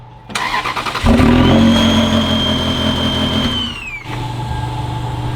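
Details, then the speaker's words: 2001 Ferrari 360 Spider with the accessory belt disconnected, during smoke-testing of vacuum lines: engine cranks and catches, then a steady high whistle over idle fades as revs drop. Suspected vacuum leak (cracked vacuum canister suspected), later fixed with new intake gaskets. "t still makes the Whistling noise so we're gonna try and figure out what it is"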